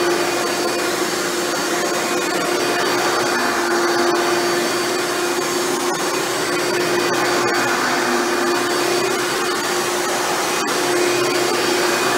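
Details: Hoover Elite upright vacuum test run after motor rebuild with new motor bearings: smooth steady hum, even high tone, no grinding or rattle; runs much better than when acquired.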